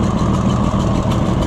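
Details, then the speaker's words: Junkyard Oliver Super 77 tractor after new carburetor, in neutral, manifold gasket leaking after tightening: rough, lumpy idle with uneven low thump and skipped beats, missing on a cylinder; bad part or manifold leak suspected, smoke from bad cylinder wall. "So, I probably should try to latch on to a better one of those. I I've got a whole pile of those. I could probably find one that was better, but but it does run. But that could also be part of our missing problem."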